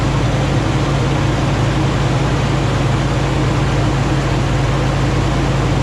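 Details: Rebuilt 2009 Hemi 1500 V8 just after first start: deep, steady hum with an even low drone, no misses or knocks, settling into smooth idle at about 87 psi oil pressure, no longer jerking.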